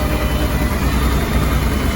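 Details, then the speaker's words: Honda Deauville NT700VA V-twin after throttle position sensor replacement and ECM recalibration, warming between cold and medium as the cooling fan kicks in: a steady, even low rumble at a settled idle with no misses; normal idle. "so you can see pretty steady there at about 1,50 rows so hopefully that's all good main thing is it starts"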